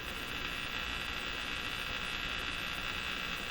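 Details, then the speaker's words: Crosley Moffat G-165 five-tube radio after replacing three paper/wax capacitors, supplied with 115 V. Between stations there is a steady buzzing hum with soft hiss that changes when the radio is moved, so it is likely outside interference. Static hum between stations. "So moving the radio around, that noise you hear changed a bit, so I don't think it's coming inherent from the radio. It's coming from somewhere out there in the ether."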